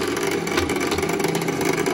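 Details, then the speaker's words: Classic Simplex cast-iron vibrating fire alarm bell being serviced; steady dense buzz with mid-pitched ring, hammer chattering rather than striking cleanly; adjustment screw to be turned to tune it in. "ah yeah we can see that the the Bell is working you can hear the hammer going off"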